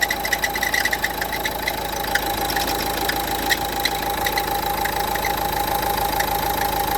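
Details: Renault Duster 1.5 dCi diesel at idle: a steady rapid rattle and thin ringing tone over the clatter from a worn alternator pulley at the front of the engine, fixed by replacing the pulley.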